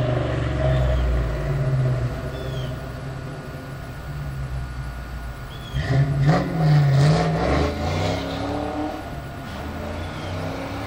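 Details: 1996 Mustang Cobra V8 rumbles, then surges under hard throttle with a rough, gritty grinding over the rising engine note; intermittent, only under hard acceleration; owner unsure whether transmission, clutch or rear end.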